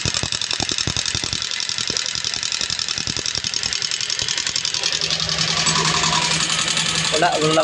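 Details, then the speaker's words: Yamaha Sniper 135 after a top-end overhaul for coolant damage and wrong timing. Sharp, fast metallic rocker ticking because no oil reaches the top end; oil pump and passages are to be checked. Valvetrain clatter from lack of lubrication. "[Musika] lubrication yan walang walang lubrication ng langis mga to kasi ito [Musika] yun kung itong lubrication ng langis yan itong butas na to kung diyan lalabas ang langis papasok dito"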